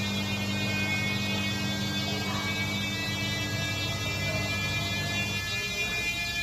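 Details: Samsung front-load washing machine, customer complaint of noise: steady high whining hum with a buzzy edge through spin, easing near the end; bearing problem suspected.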